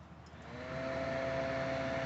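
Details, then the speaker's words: Ugolini two-bowl frozen drink machine fan motor, which had been stuck: spins up from a slow start to a steady hum with a dry rubbing drone from worn, ungreased ball bearings inside the motor that need replacing. "t the ball bearings that are inside the fan motor are going bad and there there is no grease there to lubricate them so they're rubbing back and forth and that's why you hear that noise"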